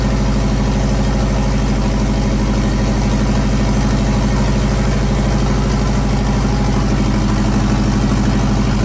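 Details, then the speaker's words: JDM EJ20 turbo engine swapped into a WRX kit car, first start, cylinders earlier fogged with oil: steady, low, even idle with no knocks or misses. "engine seems to be running pretty good right now"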